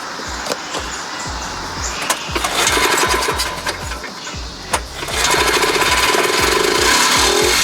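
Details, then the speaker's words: 1986 Polaris 250 two-stroke after carb work for a hard/no-start problem, fuel lines reconnected: loud crisp crackle with fast even firing and no stumbling; runs good, loud and powerful. "good good good good and loud and powerful"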